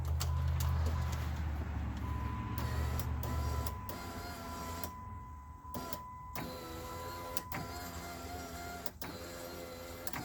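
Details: 2003 Dodge Caravan driver-side window motor, newly installed and tested before door panel refit: steady electric hum runs smoothly a few seconds between switch clicks, no grinding or strain; motor works properly.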